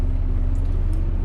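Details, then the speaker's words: Truck cab blower fan turned all the way up on heat at defrost setting during pre-trip inspection: even low hum with steady rushing air, no ticking or scraping; air felt at the defrost vents, working properly. "After that, I'm going to finish up the last thing I need to talk about here on my dash, which is my heat and defrost. So to test my defrost first, I'm going to turn my fan all the way up,"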